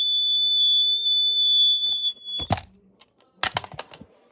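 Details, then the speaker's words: Smoke detector sounding a shrill, high alarm tone for about two seconds, followed by handling clatter; source initially unknown, batteries then replaced. "hello everyone today i heard a smoke alarm beeping and i have no idea where it is um it's making noise from here"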